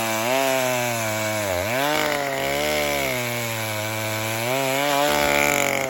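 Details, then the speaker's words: 1960s Stihl 08S two-stroke chainsaw, about 60 cc, cutting firewood after 1/8-turn richer fuel adjustment: high buzzy note sags in the cut and picks back up cleanly without bogging; running strong, normal under load. "That is a lot better. We'll give it a little bit more."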